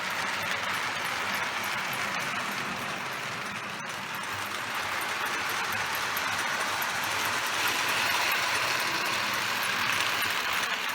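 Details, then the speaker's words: Overhauled Lionel 682 turbine model locomotive running forward on a 4x8 layout after repairing a short where the main pickup roller wire touched the frame; even whirring hiss with light ticking about four a second, smooth with no stutter. "well I've got it working now got the short repaired"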